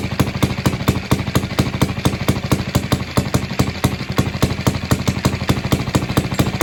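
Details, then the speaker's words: Villiers barn-find single-cylinder engine at its first start after the head was off and the points were cleaned and gapped. It had no tank, so fuel went straight into the float bowl; choke on, a spring fitted to the idle screw, and the air filter open. Sharp, fast, ungoverned beat: it is running too fast and needs screwdriver adjustment. "So with the air filter open, it's running too fast. So I'm going to get a screwdriver and we will adjust it back down."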